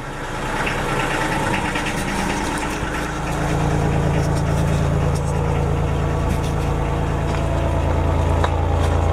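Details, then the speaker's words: Denyo DCA-15SS-N genset, 1.6 L 3-cylinder Nissan diesel (18 PS at 1500 rpm), over 30 years old, started cold after glow-plug preheat following years unused: clatters at first, then settles into a steady even thumping idle with low drone; normal cold idle. "okay I think this should be okay now start okay this that's not that for a an engine that hasn't run in years"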